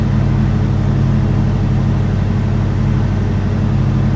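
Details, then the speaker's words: 1969 Dodge Super Bee parked with engine held slightly above idle and its R134a AC on. Deep, even drone with steady fan rush and no squeal or clatter. The system cools well and is not leaking. "So I mean, really, I'm gonna say this thing is not leaking, and we're just, you know, basically as cold as we were a year ago. So you just give it a little more gas, see what happens with it. But it's cooling off pretty well."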